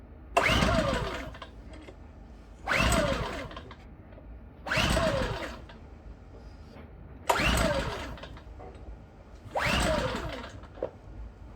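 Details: New Champion 8200i DF EU inverter generator (manufactured 03/22) on first start attempt: five short cranking bursts about two seconds apart, engine turns over but never catches; won't start, cause unknown.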